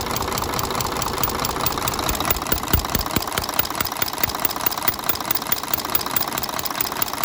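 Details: Mercedes Axor truck with OM457 diesel, in for a strange engine knock, run after the valve covers were off and a tappet was reseated and adjusted: sharp, regular ticking about twice a second over the idle clatter. Worn tappets and camshaft open the valve lash.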